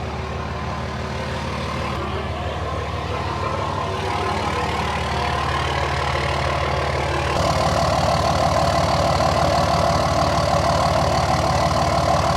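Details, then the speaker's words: 3rd-gen Dodge Ram 5.9 Cummins after oil and fuel filter change, took extra cranking to fire: steady, even diesel idle with regular clatter about three beats a second, no misses or knocks; normal idle. "Seems to be running good now though. God, this thing sounds good."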